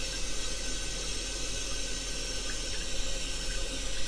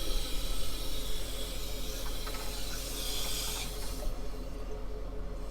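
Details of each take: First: Toilet after a temporary zip-tie repair of a deteriorated Korky flapper, water level set too high: steady rushing hiss refilling the tank with no gurgle or surging; normal refill after the flush. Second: Toilet tank with deteriorated flapper mount, water level high: steady hiss of water rushing in that never tapers or stops, fill valve not shutting off.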